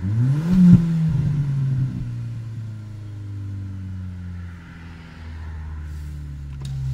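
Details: VW/Audi/Skoda/Seat TDI/FSI/TFSI engine, fully warmed up, won't rev past set rpm: blips up briefly, stalls short and sags to lumpy idle; intermittent misfire, codes P0321 and 000801, no check engine light; faulty G28 crankshaft position sensor, fixed by replacing it with a Bosch sensor.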